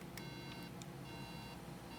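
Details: Apple MacBook logic board 820-3330 gives three short, high, evenly spaced beeps, repeating, for no working memory detected. A cap measures 0.02 V where 1.5 V is expected.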